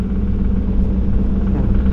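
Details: Golf 3 VR6 with existing engine damage during 0–100 km/h run: petrol V6 pulling hard with deep, rough knocking rumble; likely bearing damage, severe engine failure.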